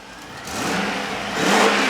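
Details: Rover V8, freshly built, first fire-up on the test cell after full setup of fuel pressure, throttle, TPS, CO trim and ignition timing: clean, even rise in revs with a smooth, unbroken exhaust note and no knocks or rattles; healthy.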